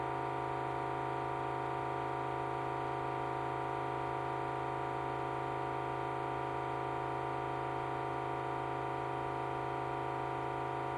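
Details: Hoover HDRY 500 washing machine, just over 12 months old, after an engineer replaced a drum suspension clip and said the noise is normal: a loud, steady droning hum on spin that wavers as drum speed changes.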